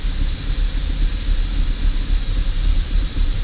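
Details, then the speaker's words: 2005 Holden VZ Commodore Crewman 3.6L V6, engine light on: very rough, surging idle that mostly goes away with revs raised; suspected vacuum leak, smoke machine later used to find the likely culprit. "running really rough at idle um take the revs up and it sort of goes away which is already leaning me towards the fact that maybe a vacuum leak"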